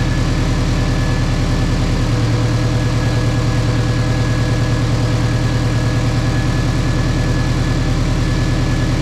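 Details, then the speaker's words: Nissan 240SX drift car, first start after welding the differential and reassembling; rough, loud idle with quick irregular puffing under the engine note, owner thinks the exhaust is leaking a little, not confirmed. "like it's leaking a little."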